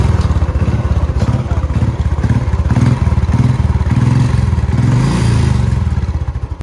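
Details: Royal Enfield Bullet with starting trouble, started after reconnecting and tightening the battery positive wire: steady, even single-cylinder thump that picks up, revs and settles with no misses or knocks.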